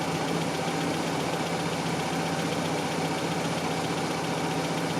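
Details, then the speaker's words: 1987 Toyota pickup 22R after carburetor rebuild, idle mixture at 3.5 turns, base idle 750 rpm: steady even four-cylinder idle, no hunting or misses; normal idle, fix not yet proven as fault was intermittent. "3 and 1/2 turns it's idling well it doesn't mean anything cuz it was Island well yesterday"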